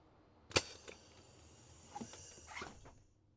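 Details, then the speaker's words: Van Hool T812 Alizee 2 bus door valve, Bosch 0 481 500 007, rebuilt with the repair kit part, air pressure switched on: sharp snap as the valve shifts, short puff of air dying away, no lingering hiss; no air leak after repair. "So let's switch on the air pressure. Okay, nothing is leaking out. That's good."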